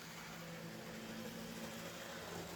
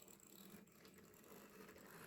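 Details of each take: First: Cheap secondhand AHM/IHC HO-scale locomotive tested on a vintage Atlas layout: soft, even motor whir with steady pitch and no catching or stutter, then fading away. Runs pretty smooth. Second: Mantua/Tyco Santa Fe F9 HO scale locomotive being tested: faint uneven ratcheting whir of motor and gears, stuttering as it inches along; drive straining, it runs but stutters.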